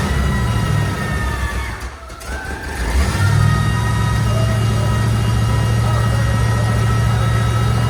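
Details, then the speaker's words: Buick that had caught fire, carburetor described as trash. Loud, steady low hum with a constant tone on top. Humming from the carburetor; something busted inside is suspected, and tapping it got the engine running again. "That's the carburetor. That's the carburetor. Yeah. You know? Probably got busted something inside"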